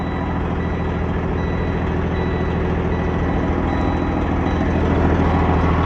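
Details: Freightliner Cascadia with a straight-piped Detroit 60 Series diesel, in neutral, warmed up a little after a cold start: deep, loud, even idle with a steady pulse and no knocks or misses; healthy warm idle.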